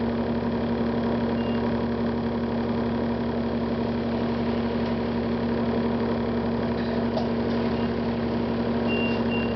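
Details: 2009 Gillig Advantage bus with Cummins ISL diesel and Allison B400R transmission at steady idle: constant high tone with faint intermittent chirps as a warning beeps at random, cause unknown.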